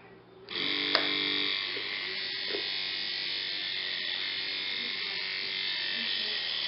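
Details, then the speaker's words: 1950s Federal Beacon Ray motor, heavily neglected, first run after repair: spins up strong to a steady high buzzing hiss with faint crackle; new carbon brushes not yet seated make the noise, expected to quieten as they wear in. "good a very strong motor very strong what we're hearing is the noise of aggression they're gonna they're not smooth as this runs those pressures will smooth out in the light of this noise will go away"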